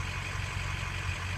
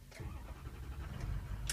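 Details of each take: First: Ford 6.0 diesel after ICP sensor replacement: steady, even low rumble with no stumble or surge; IPR stabilized in the normal range, a normal warm idle. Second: Ford 6.0 diesel: faulty ICP sensor reads over one volt, falsely indicating 800 psi, so it dumps injection oil pressure; a low, labored rumble catches and firms into a rough idle, a hard start caused by the bad ICP sensor.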